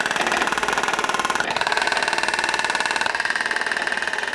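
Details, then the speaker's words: Straight, in-line driveshaft demonstration rig with U-joints unbent: even whirring with a steady pulse about three per second at constant speed, no knocks or clunks; normal, smooth driveshaft rotation. "to start notice our entire drivetrain is in line with no bends and because of that there's nothing interesting to see"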